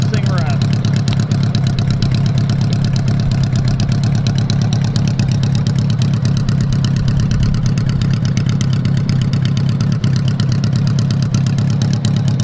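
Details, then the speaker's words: 1985 Honda Goldwing GL1200 flat-four idling with the exhaust off after carb cleaning (3 of 4 jets were clogged), microphone turned toward the engine; loud, deep, steady idle with even pulses and no misses. Normal idle. "We're just sitting here idling. Man, I hate how it sounds with the exhaust off. It's annoyingly loud, but um I am just super stoked to hear the thing running."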